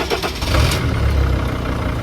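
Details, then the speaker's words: 2003 Freightliner (Sprinter) diesel van with glow plugs, just started: steady low even idle clatter, no knocking, doesn't smoke too bad, not too noisy; engine light likely a transmission code; normal diesel idle. "Yeah, I mean, it already started it, so, but it's, doesn't smoke too bad, not too noisy."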